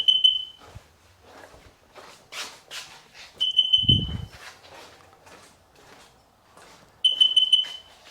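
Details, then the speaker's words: 2005 Sea-Doo 3D 787 RFI that stalls at idle, MAP sensor suspected (reading 3.8 PSI): tether on to wake the ECU, three bursts of quick high beeps about every 3.5 seconds; normal ECU wake-up beeps. "Put the tether on to wake up the computer. And now we got to listen to it beep."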